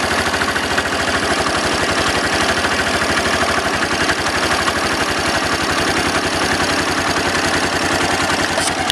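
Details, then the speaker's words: Daelim motorcycle after lubrication, engine now warm after a ride (idle had been over 2,000 rpm, too high): quick, even firing pulses at a steady idle with no misses or knocks; it sounds much better, a healthy idle. "it sounds a lot better at least very nice very nice and now that the engine is warm can really you know listen that nice do this good good"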